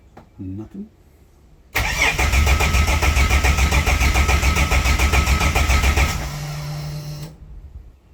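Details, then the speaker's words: Toyota Coaster with swapped engine, first crank after new fuel system and harness, fuel leak found when priming: even cranking at about three and a half beats a second, turns freely but never fires; no fuel pressure. "I'm getting no fuel pressure. I don't know. I don't feel very confident."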